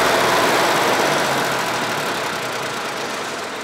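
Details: Deutz 3-cylinder diesel, previously hard-starting early mornings, idling after a gravity-fed fuel tank modification: steady even clatter with no misses or stumbles; normal diesel idle.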